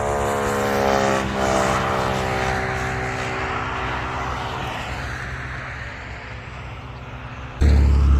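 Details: Honda Trail 125 (CT125) rebuilt with a 164cc big bore piston and cylinder and a bigger fuel injector, idling to warm up before break-in: smooth, steady single-cylinder putter, no ticking or knocking; normal.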